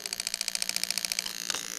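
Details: New 1996-97 LS400 1UZ-FE non-VVT-i harness with standard ECU on a 3UZ test engine, close on injector number five: rapid even crisp ticking about eight clicks a second, steady with no misses; injector firing normally.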